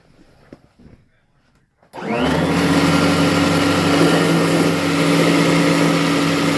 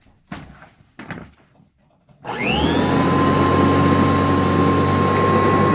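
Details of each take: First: Kirby Heritage vacuum before repair: motor spins up to strained hum with rough dragging undertone, burning belt smell; cracked rotor/fan impeller creating drag and belt slip. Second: Kirby Heritage vacuum after replacing a cracked rotor/impeller that caused drag, belt slip and burning belt smell: after a few clicks the motor spins up to a smooth, steady high whine with an even hum; normal running after repair.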